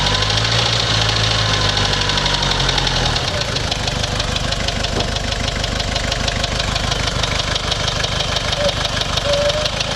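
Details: Toyota Surf 1KZ-TE diesel idling after stalling following two minutes at 3000 rpm: steady hard knock about three times a second, uneven stumbling beat, smoke; owner suspects head gasket, antifreeze apparently consumed, cause unconfirmed.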